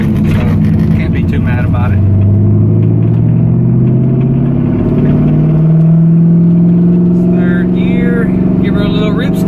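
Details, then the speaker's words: Stock 140,000-mile LS V8 swapped into an FD RX7, hard third-gear pull: deep, even rumble climbing smoothly in pitch with no misses or knocks; healthy engine despite the car's squeaks and rattles. "yeah how could you not like that jeez man i love lsa so i've always loved the sound of a v8"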